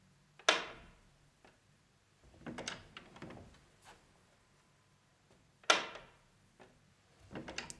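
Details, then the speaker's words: Interior door with magnetic latch: sharp loud clack each time the door shuts, quieter rattles between, as the magnetic latch tongue slaps the door frame; fixed by sticking a thin strip of self-adhesive non-woven material on the tongue end. "мне все время приходится удерживать ручку потому что язычок дверного замка магнитный шлепает об косяк двери и раздается громкий звук"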